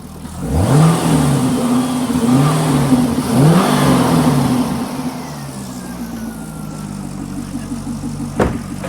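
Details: Chevrolet Corvette V8 with P0300 random misfire, blipped twice then dropping to a slightly uneven idle; compression checked earlier, secondary ignition waveform shows a likely good coil but a poor spark line, so a misfire probably not caused by the coil.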